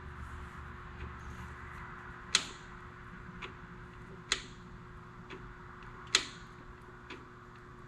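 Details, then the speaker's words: Jeep 4.0 core engine out of vehicle, never heard running, valve cover off, plugs in, crank turned by hand; suspected severe overheat: sharp distinct clicks every couple of seconds, timing chain slack ruled out, source unknown. "No. There's something else giving us a clicking in there."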